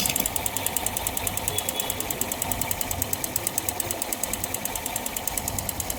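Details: Yamaha FZS motorcycle at idle; sharp, even metallic knocks at about nine a second over the engine; engine knocking, cause not yet traced.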